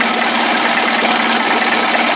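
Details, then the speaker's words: Johnson 25 hp outboard converted toward 30-35 hp with a bigger carburetor and 72D jet: buzzy high-pitched two-stroke idle that holds steady on its own without surging or dying; sounds good. "oh boy look at that it just pulled some gas wow 72d that was fast quiet sounds good"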